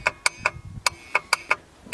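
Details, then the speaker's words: Ford F-250 7.3L IDI diesel before a cold start: sharp, irregular clicks a few times a second with the engine off; owner suspects bad glow plugs or relay, unconfirmed. "so if I didn't you'll hear the gold plugs going crazy because the either some gold plugs are two relays bad"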